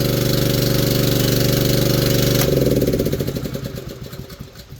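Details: Manlift small engine, after a no-start while the lift was in the air, running steadily with an even, quick chug once restarted, probably using the choke, then slowing and winding down to a stop.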